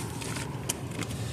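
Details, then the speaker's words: 2014 Dodge Dart with a key that will not start. Steady low churning from the starter spinning the engine over, never firing or catching. Cranks but does not start; cause unknown. "it tries to turn over just don't it tries just wind and winds it won't turn over"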